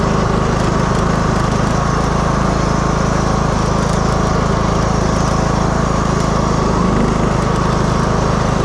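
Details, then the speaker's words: 2015 Craftsman T2200 lawn tractor, 19hp Briggs and Stratton, automatic transmission, driving in rain after transmission clean-out and reassembly. Steady drone with regular beat, no slipping or grinding; drives normally, problem fixed. "It's working perfectly. I don't even think we need to go out in the rain, but might as well."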